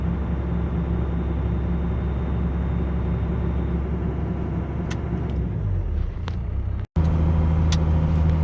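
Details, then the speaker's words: Diesel truck at about 400 rpm idle: low even rumble whose note drops and steadies as the belt-driven air compressor, converted from an A/C compressor, cuts in and runs smoothly for air bags. "that's it. And the truck is idling at 400 RPM. A fast idle. I'll turn it on here now and watch this."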